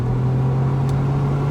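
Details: Six-cylinder car on a test drive after the faulty cylinder (two or four) was repaired: steady, even low drone under acceleration with no stumble. The misfire is fixed.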